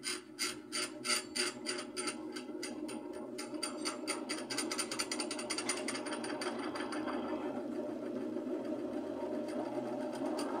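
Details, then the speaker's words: Old Miller centrifuge motor on a test run with its capacitor rewired (motor said to be burnt): it ticks in slowly and labours up to speed with a faint rattle; slow start from a weak capacitor, stronger one planned. "esse capacitor ele é para Tá bom vamos fazer um teste aqui gente liguei aí ó devagar"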